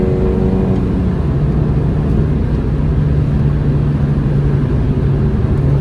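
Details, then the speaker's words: £200 trade-in Mini Cooper small four-cylinder on its test drive, given a few revs on the road; revs up smoothly with a steady even note, no knocks or rattles: normal, healthy revving. "Seems good so far. Seems a bargain at the price."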